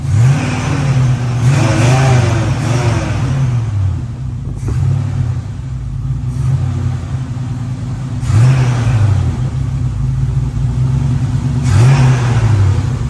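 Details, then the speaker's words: 1950 Plymouth Deluxe off the road for 23 years, running from a gas can on the engine fuel pump, choke not working well: three clean revs settling to a smooth, even idle without knocks or misses; runs well though no oil pressure shown. "choke doesn't work great but it does idle and it's got breaks and gears"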